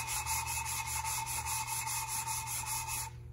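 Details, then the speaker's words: 1974 Triumph TR6 valve lapping after lifting the valve: even gritty rasping strokes, two or three a second, cutting the seat again. Use only very slight pressure; pressing hard can cut channels around the seat. "so we lift it and we do it again and now you can hear the sounding again right but don't press too much you don't need to put any pressure because you might make channels around the seat"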